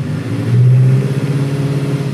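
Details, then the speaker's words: 2014 Chevrolet Malibu with an intermittent stalling complaint: under load in reverse, a loud low drone stumbles and pulses unevenly as cylinder four misfires badly. Valve cover gasket leaks into the coil area. Finding: faulty ignition coil; fix is a number-four coil plus all four plugs. "there we go cylinder four got the real bad misfire now"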